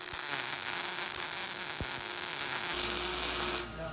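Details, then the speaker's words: Steel welding demonstration: steady, even sizzling crackle like frying bacon with no popping or sputtering breaks; the desired sound of a smooth, stable welding arc. "that's what you want the sound of sizzling bacon all right here we go"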